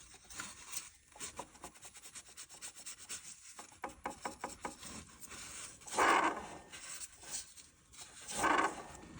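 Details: 2006 Chevy Malibu LT Maxx 3.5L V6, belt off, water pump pulley spun by hand: dry, uneven rasping rub each turn with some play; worn water pump bearing causing whirring/squealing, pump, pulleys, tensioner and belt replaced.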